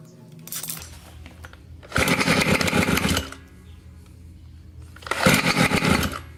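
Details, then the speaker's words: Near-new 30.5cc two-stroke in a 1/5 Losi 5T, spark plug checked and coil swapped, idle screw maxed out: loud rasping bursts sagging almost to nothing between them; engine will not hold idle. "Yeah, I've maxed out on the idle."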